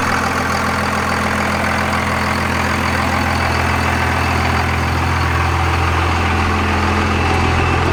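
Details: Second-gen 24-valve Cummins diesel after bleeding air from the injector lines and a brief throttle blip; steady, even clatter with smooth low drone, no misses or hunting: normal healthy idle.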